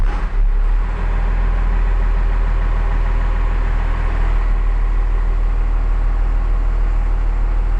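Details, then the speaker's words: 1994 second-gen Dodge Ram Cummins 12-valve diesel just after fuel filter change and priming: brief crank with no throttle, then heavy diesel rumble settles into an even, steady idle with no misses; normal start and idle. "all right so you saw we got it running we didn't like on these cummins generally speaking if you give it just a little throttle as you crank it it'll fire right away"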